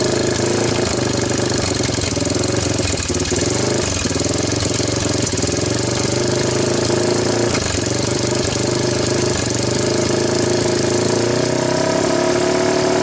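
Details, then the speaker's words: 1998 Honda TRX300EX single-cylinder quad after a previous owner's engine rebuild, with the valves now checked good. It runs with an uneven, lumpy beat and lags when throttled before slowly picking up revs. Owner suspects the timing chain is one tooth off; not confirmed. "I'm wondering if the tiniest is maybe they are one step off on the timing chain it seems like when I give it gas it like you know thinks about it"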